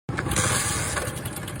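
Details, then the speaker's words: Motorcycle engine: dry rapid ticking "da-da" rattle over the idle, traced to a slack timing chain under the timing gear cover; timing chain rattle, worn part being located. "首先检查一下正时链条的松紧程度，看到没？响声就是在它这里发出来的。"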